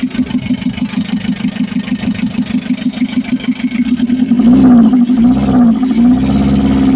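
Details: Mitsubishi L300 FB diesel after hard-starting repair (fuel pump replaced, wiring, starter, alternator, ignition switch fixed): even diesel clatter settling to steady idle, then smooth rev without misses; starts and runs properly.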